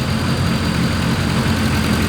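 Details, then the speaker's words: Honda KRZ after its idle was lowered by about 1000 rpm and it stopped smoking: low, steady idle with even pulse, no hunting or stumbling; still running rich per owner; sounds good. "but yes it sounds not too bad I mean is it isn't smoking anymore"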